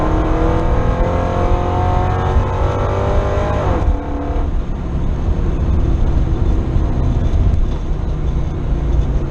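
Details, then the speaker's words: LS-swapped 1973 Chevy Nova on the drag strip; under hard launch a thin tone climbs with road speed over the V8 roar, fading off throttle: rear differential (ring and pinion) whine. "I don't know if you guys can hear that, but that's the rear end whining."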